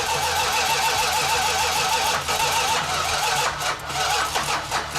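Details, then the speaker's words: Chrysler 440 Six Pack V8 (three two-barrel carbs), first run in 40 years after fuel lines were tightened: repeated slow cranking with uneven catches until it fires and stumbles into a rough run; hard start. "Just kept cranking on it, and eventually it leaned out and fired right up and ran good."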